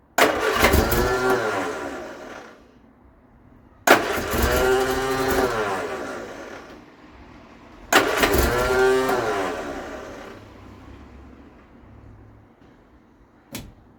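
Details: Vauxhall Viva HC barn find with starting issue; three cranking bursts of a few seconds each, steady starter churn with no firing or catch. Coil or fuel supply suspected, not confirmed.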